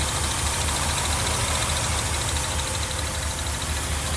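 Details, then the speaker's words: 1982 Mercedes 380SL V8 idling just after a new timing chain tensioner was installed, pre-loaded with oil; after sitting a long time, steady even idle, quiet, no tapping or rattle from the front; good oil pressure; healthy. "I think it sounds pretty good she's quiet"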